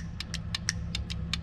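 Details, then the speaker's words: 1967 Chevelle, engine not running, Holley Sniper ignition box and coil tested by grounding trigger signal; crisp sharp spark snaps about five a second over low hum; healthy spark, distributor suspected of back-feeding. "I don't know how well you can see that but you can definitely hear it so the ignition box and the coil is doing what it's supposed to"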